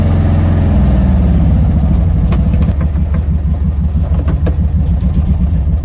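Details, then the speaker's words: 1971 VW Karmann Ghia that sat over 20 years, on first drive after fixing oil leak: extremely loud; with no foot on the gas, deep lumpy idle settling into slow spaced pulses near stalling, idle set too low. "So no foot on the gas. That's a slow idle. But that's an idle."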